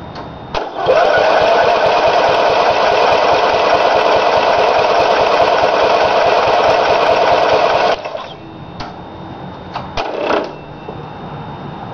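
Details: Briggs & Stratton small engine first run after rebuild with new piston rings and gaskets: screams at steady very high speed for seven seconds then cuts out; governor adjusted wrong, causing overspeed, later corrected.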